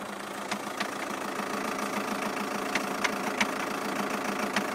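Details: 2007 Skoda Octavia II 2.0 TDI (reportedly BKD) cold start, appearing after a few minutes at idle, new clutch and dual-mass flywheel: steady diesel idle broken by sharp, uneven knocks; owner unsure, balance shaft suspected, unconfirmed.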